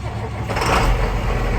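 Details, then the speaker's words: 8300 diesel tractor after a new belt and tensioner pulley replaced a failed pulley bearing, boosted start: heavy low diesel clatter builds as it catches and settles into a steady rumble; cranks and starts. "Yep, that's got her. Alright, y'all, we got both of them tractors running."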